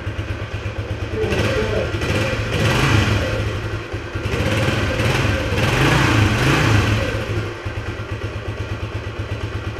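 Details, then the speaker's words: Restored 1976 Honda XL175 single with P90 exhaust, after restoration, carb possibly slightly gummed up, cold: steady, even single-cylinder idle with a few throttle blips, no knocks or slipping; runs and idles well, normal idle. "but it runs and idles super nice it accelerates really well"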